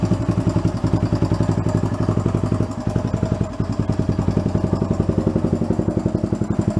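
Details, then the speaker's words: 1975 Honda TL250 barn-find single-cylinder, sat 20 years with seized engine freed, warm after about 20 minutes running: light quick ticking about four a second over an uneven idle, tappy; valve clearance to be readjusted, suspected not confirmed. "but it's running good all the gears feel firing everything feels decent on it its tappy"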